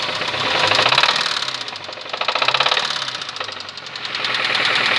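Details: Engine with sharp metallic knocking at three to four beats a second that grows louder with rpm. Teardown found the connecting rod bearing shells missing, with the rod striking upward. Rod knock.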